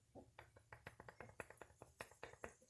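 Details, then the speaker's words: 1993 Honda Civic inner tie rod pushed in and out by hand: sharp dry clicks, about six a second, from worn ball-and-socket joint; inner tire edge worn to the cords. "don't know how well that's showing up on camera, but I'm pushing in and out. You can hear it clicking against itself."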